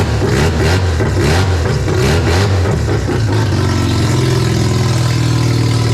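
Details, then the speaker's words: Mazda RX-7 barn-find 12A rotary after sitting for years, carb flooding from suspected faulty needle and seat, some leaks: loud revving then a steady buzzing idle, running on its own without stumbling until it apparently runs out of fuel. "what an absolute great feeling to see some rotary Flames uh be deafened by rotary noises and um yeah the shop smells like rotary fumes"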